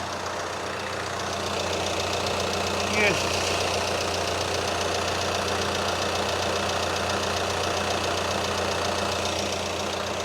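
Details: VW Caddy with 2.0 TDI common-rail diesel swapped in for the 1.6, first start: even diesel clatter at steady idle, no misses or hunting, cooling fans running; a clean, healthy idle.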